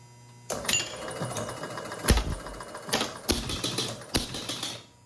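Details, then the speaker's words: 1977 Gottlieb Bronco pinball machine, after the maladjusted bonus unit disc was rotated one position: bursts of relay and stepper clatter with a clean bell strike as the 1,000-point bonus counts out. The bonus unit is now working normally. "there it is excellent so that seems to have fixed our bonus unit problems"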